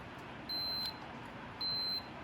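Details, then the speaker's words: Continuity test on a 1964–66 Ford Thunderbird power window switch, checking the red wire: two clean, high-pitched tester beeps, each under half a second. The switch contact closes, continuity good. "So now we're checking the red wire being attacked again. That's working."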